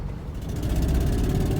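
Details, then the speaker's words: 1999 Ford Mustang 3.8 V6, five-speed, 147,000 miles, running rough with fuel smell: lumpy idle with recurring stumble, missing on one cylinder, plus puffing exhaust-leak chuff; owner suspects bad fuel injector or fouled plug, not confirmed. "you can hear the engine miss but you definitely missing got a got a pretty good exhaust leak to it see the engine miss i believe it's just missing on one cylinder"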